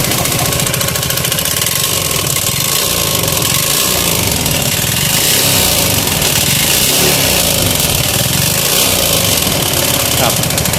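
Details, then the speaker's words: Yamaha Spark 135i small motorcycle engine before repair, idling with a loud, rough metallic knocking. "ก่อนซ่อมนะครับว่าก่อนซ่อมเนี่ยรถคันนี้เครื่องดังนะครับดังแก๊กๆๆดันเยอะเลยครับ"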